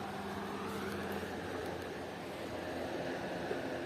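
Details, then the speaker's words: Restored scrap-found Sumo 40 W 12-inch 3-speed swing box fan: even, steady airy rush, just wind noise with a faint low hum, no scratching or bearing rumble; fan runs healthy. "Hear that? It's just wind noise. There is no scratching sound or nothing."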